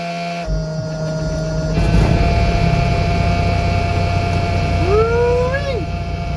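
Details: CAT C15 truck diesel test run in rain after internal injector wiring harness replacement for an idle shake and miss, valve covers off: catches and holds a steady, smooth idle under the low-air buzzer, no misses or knocks; normal idle.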